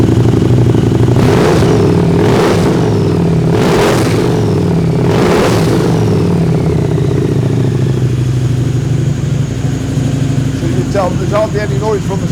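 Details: Harley-Davidson V-Rod with TTS supercharger kit, 10 psi boost, unrestricted, about 180 bhp, stronger clutch springs: several sharp, clean throttle blips settling to a smooth idle, no whine or rattle from the blower; normal start and rev.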